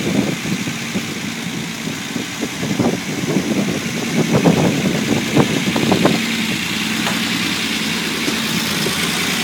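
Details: Unimog 404 first start after new fuse boards and a rewire: engine settles into a steady, slightly uneven idle with even low chuffing, no knocks or squeals; normal healthy idle.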